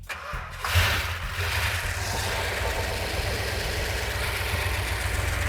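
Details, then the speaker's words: Freshly rebuilt 340 V8 installed in Cuda, first start in car with ballast resistor ignition: cranks briefly, catches cleanly into steady even idle with no knocks or misses, sounding as good as on the engine run stand. "the engine sounds every bit as good as it did when it was on the engine run stand that's fantastic"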